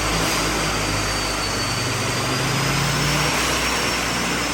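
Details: Stock-engine Mazda B8 180 (claimed 180HP) on a Dynocom dyno with retarder, boost meter fitted, checking fuel ratio and horsepower at cruising and under boost; engine still quiet, steady even drone with faint rising whine, no knocks or misses: normal under load.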